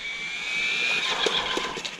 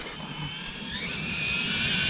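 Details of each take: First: Hobao 8SC RC car on a parking lot with the speed controller's ABS option newly enabled: a high electric whine fades as it slows, then stuttering Second: Hobao 8SC RC car in track setup on a parking lot, with the ABS braking option turned on for the first time; high electric motor whine rising and falling, and a quick stuttering "fou fou fou" pulse on braking.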